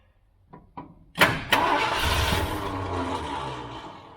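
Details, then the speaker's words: 1978 Ford F-350 crew cab long bed parked 11 years: a few starter clicks, then the engine churns and catches briefly and fades without running; no fuel out of the mechanical pump, so an electric pump is going in. "I ain't seeing nothing out of that bastard ain't seeing nothing out of this mechanical pump well I guess it's time to put in an electric one"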